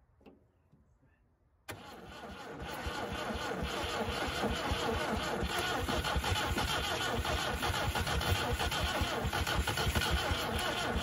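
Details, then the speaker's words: 1971 MGB first start after 20 years in the woods, points replaced by makeshift screw setup: cranks, catches into ragged lumpy idle with irregular pops and spits, no knocking; some valves still sticking and carburetor blowing fire back, carbs need servicing. "obviously do need to go through the carburetors we do have some valve still sticking a little bit obviously with the fire blowing back at my"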